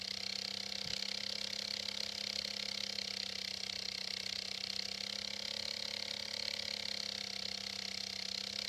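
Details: Computer with a suspected crashing hard drive: steady low hum under constant high airy whir, no clicks or seeking; owner attributes the noise to the fan, not the drive; cause unconfirmed.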